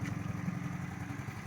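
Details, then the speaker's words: Classic 1991 Honda JX110 idling after key-on; quiet, soft, even low beat; normal idle. "เครื่องเงียบๆนิ่มๆนะครับเหมือนเหมือเหมือนยังไม่ติดเครื่องเลยนะครับ"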